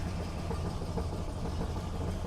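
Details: 1971 Buick LeSabre Custom 455 V8, cold start with choke set: lumpy, uneven low puffing at idle with occasional pops; rough exhaust note, exhaust may be leaking.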